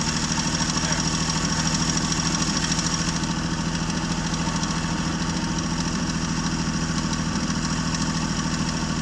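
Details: 1965 Jeep Wagoneer, original 3.8 L 230 cu in overhead-cam engine, idling after 20 years sitting, just after the carburetor was flooded by over-pumping: steady, even low idle with smooth regular pulse, no misses or knocks.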